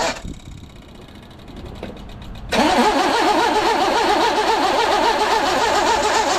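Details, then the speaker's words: 1982 GMC S-15 cranking, battery possibly dead; harsh warbling metallic grind rising as the starter engages, starter not meshing cleanly. Owner plans to shim the starter. "I gotta climb under there and shim that starter. It sounds terrible."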